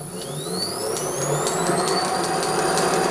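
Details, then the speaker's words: Pre-1907 Hardinge Cataract lathe on a VFD, roller vibration fixed with newly turned bearing fits on the 5/8 shaft: smooth, even whir with rising drive whine, no rumble or knock, much quieter going forward; reverse still not good. "well that's a lot quieter cracking good"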